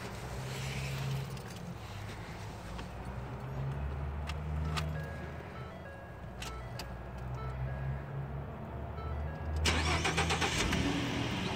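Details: 2013 Ford F-150 that cranked but would not start because of a burnt 20 amp fuel pump fuse: after fitting a new 20 amp fuse, a few clicks, then a short crank as the engine catches and settles into an even low idle.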